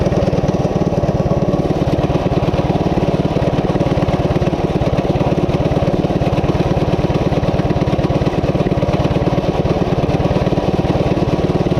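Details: Coleman CT200U-A minibike, 196cc single, at idle after new carb gasket: fast, steady putter never settling to a slow idle despite carb adjustments. High idle; cause unknown, owner wonders about the clutch.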